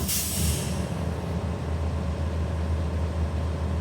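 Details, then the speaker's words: Truck air brake check, air pressure built past 85-100 PSI up to governor cut-out: a sharp hiss of air bursts out, then fades to a steady low engine drone. Normal air dryer purge at cut-out. "Next thing you know, I'm going to build it all the way up to our cutout stage. And once it hits our cutout, you're going to hear that audible gasp."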